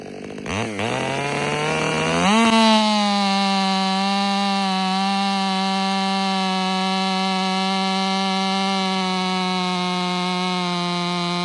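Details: Ported Stihl MS500i (Empire Workshop) on a 32-inch bar with an unmodified MaxFlow plug-and-play air filter climbs quickly to a high, steady scream and holds an even pitch through the cut, with no bogging or surging; healthy.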